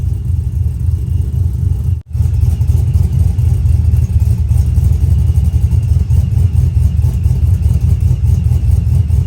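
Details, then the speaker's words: Brian Tooley Truck Norris cam engine, HP Tuners over/under idle timing control now activated: deep uneven lumpy lope about every quarter second, artificial choppy idle from timing swing, not a fault. "this is what the over and under timing change made some people might not like it but you actually hear a lot of cars like this on the road"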